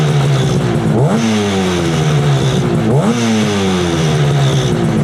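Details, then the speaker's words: 1968 Yamaha YAS1C 125 twin two-stroke after points, timing and carburetor synchronization adjustment, not fully warm: crisp revs climb cleanly twice and settle to a steady idle without stumbling; running healthy. "Oh, that sounds good. Picking it up now."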